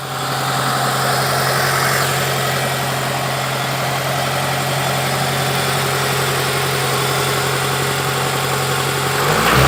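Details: Toyota 2ZZ-GE engine at idle: dull, deep knock about three or four times a second under the hum, from a spun crank bearing; similar to a faulty VVTi coupler, which knocks faster, higher-pitched, from the top, mainly cold.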